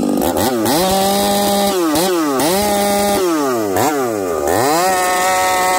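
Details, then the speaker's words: Chainsaw with a new bar and freshly spun chain, high-speed screw set between 3/4 and 5/8 turn. It screams to high revs in the cut, then stutters and warbles, still sounding rich and breaking up; cause unconfirmed, the owner suspects the coil. "hijet is that three quarters to 5 8 and it still sounds Rich at 5H and still sounds like it's breaking up"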